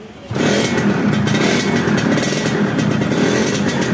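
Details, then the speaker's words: Yamaha F1ZR two-stroke after engine rebuild, revving: flat, nasal, hollow note with no power, unable to idle when throttle is lowered; weak compression traced to the spark plug seat in the cylinder head. "kata yang punya ini habis turun mesin tapi suaranya jadi bindeng alias gak ada tenaganya"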